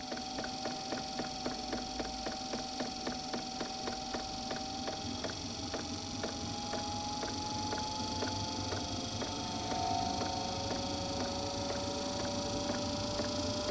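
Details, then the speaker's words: Eberspacher D2 12V 2.2kW diesel night heater starting after a DIY workaround for a non-start fault: even dosing-pump ticking about four times a second over steady fan hum with rising tone; normal. Owner suspects a sensor or ECU issue. "you can hear the pump going"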